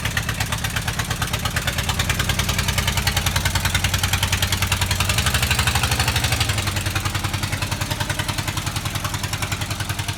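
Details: VW Type 25 (T25) van being rebuilt, after a battery and battery earth replacement for slow cranking: the engine catches and settles into an even, steady idle with a regular exhaust beat, no misses or knocks; running normally.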